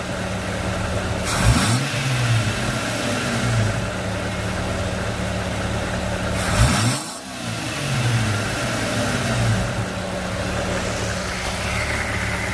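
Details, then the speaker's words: 2004 Jeep Grand Cherokee WJ that idled rough and stalled when letting off the gas, after partially cleaning the throttle body: engine catches and idles low, revs flare then sag twice near stalling; idle improved but still rough from a dirty throttle body. "So it's already idling a little bit better. And then when I did at before, you saw how the car just instantly died. Now it's not doing it as bad. I still think it needs some cleaning to do."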